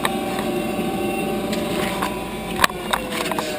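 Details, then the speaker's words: 10-year-old Heil gas furnace draft inducer motor running before replacement; a constant high, thin whine at one pitch over the blower hum with a few knocks, audible upstairs, from a worn inducer motor bearing. "hope you can hear that whining it's whining making a whining"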